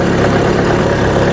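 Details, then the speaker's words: VW Passat B3 diesel at idle after repair work: a deep, uneven beat with an occasional faint stumble. It still misfires slightly but runs better than before, and the cause is not yet found. The old engine mounts have not been replaced. "to i tak jeszcze delikatnie kuleje ten [ __ ] Passat Coś delikatnie jeszcze przerywa No jeszcze przerywa ale nie ma źle"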